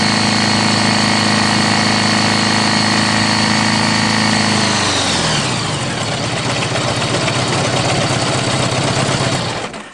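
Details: Honda GL1100 engine with oil pressure drop: steady idle with a regular deep knock about four times a second, fading as the engine winds down; rod knock.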